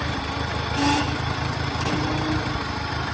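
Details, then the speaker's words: Farmall Cub tractor with a 172 planter unit and side dresser, idling steadily while the lift is raised to its stop; a faint short whine is the normal hydraulic bypass on these tractors. "hear that little whine right there. That's normal with these tractors. That's the hydraulics. It's a bypass."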